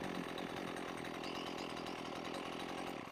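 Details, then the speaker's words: Husqvarna 128LD trimmer after carburetor adjustment (high-speed screw tweaked, idle screw untouched, head not spinning): steady, even two-stroke buzz, no hunting or stumbling, clean healthy idle. "didn't really have to mess with the with the idle screw um because the head of it wasn't spinning and it was it was ising pretty good for me so every machine's different"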